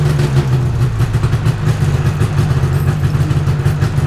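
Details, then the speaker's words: 1997 Yamaha VMAX SX 600 snowmobile after a starter change and clearing oil from the fuel lines and carburetor: a fast, even two-stroke burble with a strong low drone and no misses or knocks; runs cleanly. "I got it all put back together, and I've got it somewhat detailed as fast as I could for tomorrow's shenanigans up in the snow. But let's hear it run."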